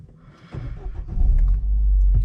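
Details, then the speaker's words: Car with a failed EVAP pipe, low power: a steady low engine hum at idle near 1000 rpm instead of the normal ~750. High idle from a vacuum leak at the EVAP system. "so the idle on these should be around about 750 so this one idle it's just under a thou actually"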